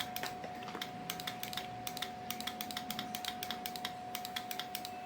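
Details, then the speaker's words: LG F1014NTGW touchscreen front-load washer with direct-drive inverter, intermittent errors and hard starting, crystal already replaced on the module: relay clicks irregularly, power button works only sometimes; the 5 V line measures unstable. "Terdengar untuk relay-nya ceklak-ceklik seperti itu dan itu tidak normal."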